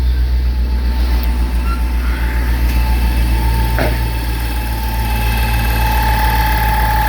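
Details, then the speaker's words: Dodge M37 with a newly installed York 210 onboard air compressor runs over an even idle with a steady pumping pulse while building air. Smooth, no clatter, quieter than the old one. "sounds nice and smooth. It sounds probably a little quieter than my old one."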